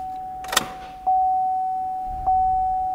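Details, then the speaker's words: 2007–2014 Chevrolet Silverado 2500 HD, key on after fuel injector replacement; steady thin hum for a few seconds then fading, normal fuel pump priming pressurizing lines and purging air. "you're going to hear that fuel pump run this is priming the system at this point it's pushing fuel through the lines creating pressure and hopefully pushing the air out"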